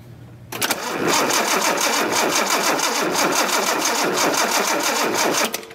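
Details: 1976 Datsun 280Z, fuel injected, after sitting: steady starter cranking at about three beats a second, engine turns over but never catches; spark on cylinder three restored after cleaning, fuel system next to check. Crank, no start.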